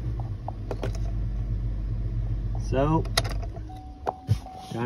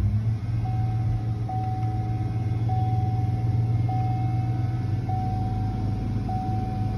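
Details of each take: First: 2007 Chevy Tahoe 5.3 V8 after cleaning an extremely dirty throttle body (TPS code) caused 2000 RPM idle; after scanner idle-learn reset, steady low idle rumble with no surging or racing revs. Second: 2007 Chevy Tahoe 5.3 V8 idling at about 2000 rpm after dirty throttle body cleaned (TPS code): steady raised idle hum with dashboard chime beeping once a second; idle not relearned, needs scanner idle-learn reset.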